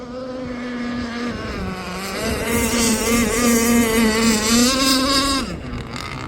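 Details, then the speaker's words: Aeromarine Avenger 44 RC gas boat, Zenoah 29cc two-stroke with a steel Gizmo tuned pipe, running a roughly 66 mm ABC prop: clean steady high-RPM scream rising onto the pipe, running strong and healthy. "Yeah, it looks like it's got a lot of pitch. Oh, okay. That sounds good."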